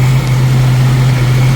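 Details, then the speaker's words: 1990 Jeep YJ 4.2L carbureted six, 5-speed, warming up; idle has risen to about 900–1,000 rpm, a deep steady hum, running smooth with no misses, before carburetor adjustment. "all right so the idles come up a little bit almost uh almost to 1,000 I would say about 9 something uh temperature's coming up it is running nice and smooth um no miss or anything like I've been having so that's a plus"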